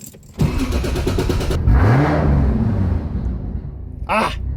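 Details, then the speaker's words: Turbo MKIV Toyota Supra with eBay turbo, driving under hard boost: engine pulls hard, then sharp whoosh and revs sag; intercooler pipe popped off again, boost lost through the leak. "Okay, so I think I might have boosted a little too hard and popped another intercooler pipe off, which has been annoyingly normal for this, but so far I've driven it a while and she's doing pretty good, so."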